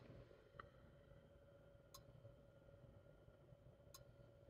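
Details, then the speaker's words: Samsung NE63B8211SS induction range burner on lowest setting: soft, sharp clicks about every two seconds over a faint steady hum as the inductor cycles on and off; normal at low power, continuous from setting four. "the other sound that it does make is if you have the burner on its lowest setting you'll hear the inductor kicking on and off"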